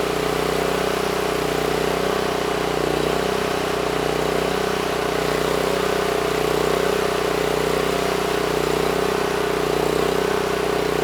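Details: NorthStar 8000 PPG generator with a 13 hp Honda GX390, refueled, governor set screw adjusted to about 61 Hz (target about 61.5 Hz): steady even drone at constant pitch, no hunting, misses or knocks; normal running.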